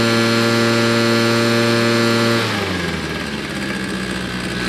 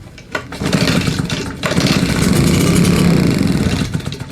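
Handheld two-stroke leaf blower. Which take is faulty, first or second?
second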